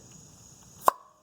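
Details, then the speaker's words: 1985 Mercedes 300SD diesel, EGR valve vacuum test: valve holds vacuum, and pulling the vacuum line gives one crisp click as it snaps shut; EGR valve is good. "now to hear if it shuts correctly when i pull this out we should hear a little click"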